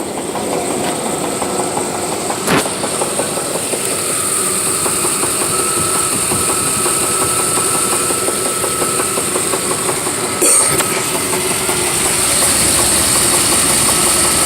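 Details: 1993 Chevy Silverado 5.0L V8 idling: steady fairly quick knock about three a second, seemingly from the flex plate area; owner unsure, wonders about spun bearing; cause unknown.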